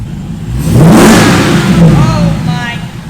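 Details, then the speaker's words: SRT 6.4L Hemi V8 swapped into a Jeep Wrangler JLU Rubicon, first start-up after filling fluids: deep V8 blips up smoothly and drops back cleanly, no misses, knocks or ticks; healthy engine revving freely. "all right you guys we were officially ready start her up that sounds way better"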